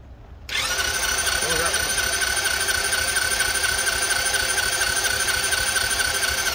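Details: $200 marketplace small dirt bike/moped cranked with the choke up, before starter fluid is tried: steady high starter whir for six seconds without a single firing pulse; it cranks but won't start.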